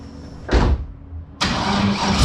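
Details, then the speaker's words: LS-swapped Toyota GT86, 5.3 V8 with freshly ported heads, after ECU short repair and plugging in the unplugged MAP sensor: clunk, crank, quick catch and steady even idle while warming up; owner suspects running rich, possibly O2 sensors wired wrong. "all right i'm letting it warm up a little bit ah i have my map sensor unplugged somehow so i plugged it in and started immediately um it runs so hopefully it's running right"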